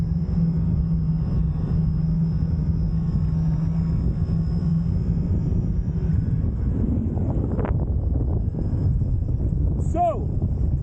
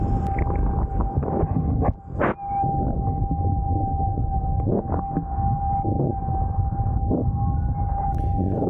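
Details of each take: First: Fliteboard foil riding with a quiet wing: only heavy wind rumble and light splashing, no whistle or tone from the wing. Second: am sure that you can hear this whistling winding noise now you might even get a brand new board and once you start writing your board in this fastest speed you hear the noise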